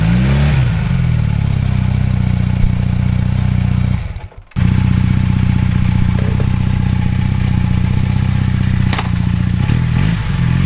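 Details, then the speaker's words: 1981 Honda CM400C twin motorcycle at idle: steady, even low thrum with smooth unchanging beat, no knocks or rattles; healthy. "ok so before I wrap up the video I'll fire up the engine so you guys can hear it run"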